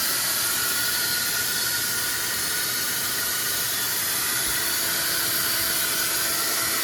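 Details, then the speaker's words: R53 Mini Cooper up on jack stands, engine running: a constant airy hiss, loudest in the high range, rides over the engine. This is an exhaust leak; escaping gas is felt past the flex pipe toward the catalytic converter. "W drive back is on let start the front end well I'm hearing air hearing a lot of air"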